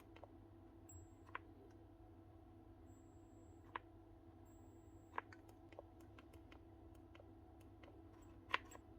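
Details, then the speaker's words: Milwaukee M12 1/2-inch impact with one-key, heavily used and gunked up: faint high-pitched controller whine under trigger clicks and the switch works, but no power gets through and the motor never spins; field suspected gone. "hear that wee high-pitched whine or high-pitched tone? That's the actual controller. You hear the switch is working. He's trying to engage something, but no power is getting through."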